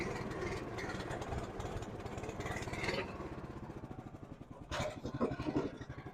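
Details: 2005 Chuck Wagon UTV with a Honda GX390 on a #100 main jet: the single-cylinder engine coughs and stalls, with irregular pops and sag under throttle. It needed the choke almost closed, so the original #91 jet was refitted.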